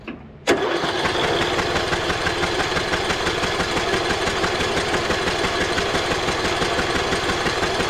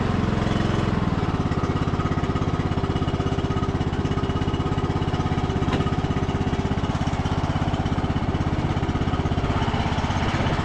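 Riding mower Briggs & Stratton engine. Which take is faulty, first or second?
first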